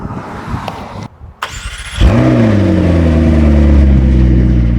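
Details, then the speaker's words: McLaren being readied for an emissions test, restarted during its first full drive after its first hard run: cranks and catches in about two seconds, then settles into a steady, even, deep idle burble with no misses and no smoke; normal start and idle. "No smoke. Yeah, that sounds normal to me, luckily."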